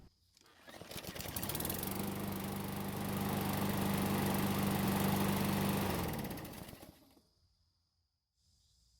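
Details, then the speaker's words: Free Murray lawn mower, hot after running several minutes: engine catches right away and holds a steady, even drone for several seconds before shutting off; clean, healthy hot restart. "There's practically nothing wrong with this free lawn mower. It started up just fine, ran great, and even started back up when it was hot."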